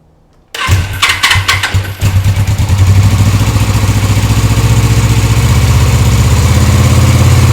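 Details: Suzuki motorcycle after fuel drained into the crankcase with the fuel cock left on reserve, now with fresh oil and cleaned, gap-checked spark plugs: short crank, catches and sputters a couple of seconds, then settles to steady idle.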